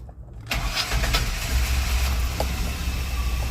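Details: 2002 Chevy Astro van 4.3 after a fuel pump and fuel filter replacement, with the fuel system primed three times: starter whirs briefly, then the engine catches cleanly into a steady, even idle; normal start.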